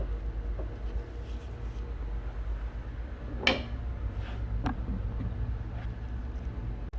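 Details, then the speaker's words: Chrysler/Dodge front end with the wheel off, inner tie rod being knocked with a hammer: dull, irregular clunks as the linkage moves in and out, the play in the worn inner tie rod that causes the noise, before replacement. "You hear that noise? So that's what making the noise. Because it goes in and out."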